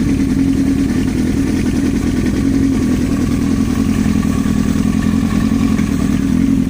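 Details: Yamaha R1 sport bike engine running steadily with a fast metallic clatter over the exhaust note; engine knock from inside, cause not pinned down.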